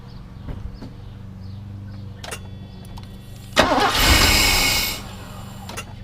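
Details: Mercedes W126 560SEL with a suspect, likely miscalibrated fuel distributor, injectors reconnected, no cold start valve: slow, uneven cranking, then a brief ragged flare that fades without idling; hard start, judged not good.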